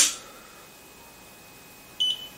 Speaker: there's the beep no error codes speed pot down to zero run and the way we go